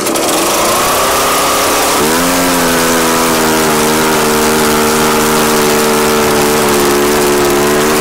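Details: Echo PB-755ST two-stroke backpack blower after fresh fuel and a carburetor adjustment made with the air filter on. The engine climbs sharply, then holds a steady high scream with no surging, pulling full power cleanly. The bogging is fixed.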